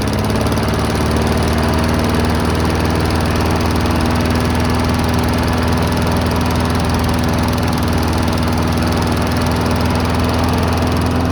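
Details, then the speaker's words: Cheap abandoned Briggs & Stratton walk-behind mower, started at about nine degrees Fahrenheit with the trigger taped down: loud, rough, uneven low beat; black stuff drips from the muffler, owner suspects junk in the carburetor; rough running. "dripping a little black stuff out of the muffler probably has junk in the carb"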